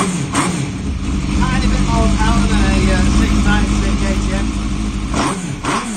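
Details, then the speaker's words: Suzuki GSX-R1000 engine newly fitted into a KTM 690 Enduro frame, first start after rewiring, electric fuel pump running: fires straight up and holds a strong, even run with a couple of clean revs and no knocks or rattles, a normal start and run. "These things usually just start straight away, cracking engine, which is one of the reasons I use them."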